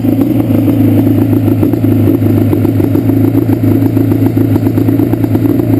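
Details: Yamaha Banshee two-stroke twin: lumpy stumbling idle with uneven popping as left cylinder keeps dropping out, pipe not warm at idle; carbs rebuilt, balancing tried, air screws adjusted, misfire does not follow plug; cause unknown.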